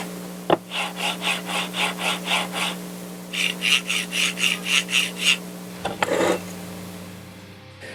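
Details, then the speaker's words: Budget linear rail carriage, oiled (black) vs greased (silver), slid back and forth on desk, duct tape and in air: rhythmic raspy swishes about four strokes a second, grease much quieter than oil; smooth travel, no binding. "you can hear right there, the grease is a lot quieter, which is one of the reasons I kind of wanted to make sure that worked, because I really get fed up with all the noises involved with 3D printers."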